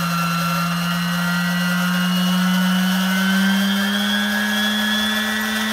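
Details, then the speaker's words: Vintage Sunbeam Mixmaster stand mixer bought on eBay, first run after unboxing with the wrong bowl: loud motor whine with harsh buzzing, pitch creeping up as it spins; motor sounds unhealthy. "that sounds horrible and it's buzzing [Applause] yeah that does not sound very healthy at all so we have the wrong bowl and that motor sounds horrible"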